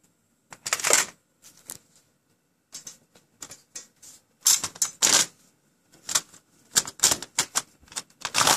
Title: PS3 drive makes a really loud rattling noise